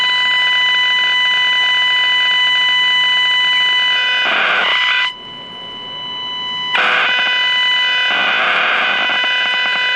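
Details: Packard Bell 35 AM tube radio chassis: steady high whistles and raspy buzz over hiss, no station. Injected IF signal (+20 dB) gets nothing through; coils and tubes check good. Squealing and buzzing oscillation, cause not found.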